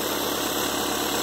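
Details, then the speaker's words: 2.0 engine idling steadily after a new timing belt, with the tensioner pulley judged good and not replaced; belt runs aligned with an even whirr and no slap, squeal or ticking. Normal idle. "Nossa Gates aí, Power Grip já em funcionamento, né? Perfeitamente alinhada aí, ó."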